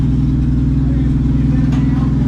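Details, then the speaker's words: 1951 Chevy pickup, 6-volt points ignition, revived after 40 years abandoned in a field: steady, even idle with no knocks or stumbles, about 20 psi oil pressure, charging, coolant fine; running like a top. "Man, she sounds good. Thing's running like a top, man."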